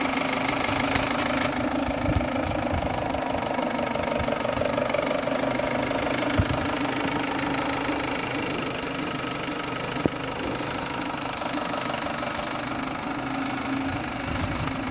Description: Strange engine noise. It was the timing belt moved with 1 teeth 2.0T gasoline engine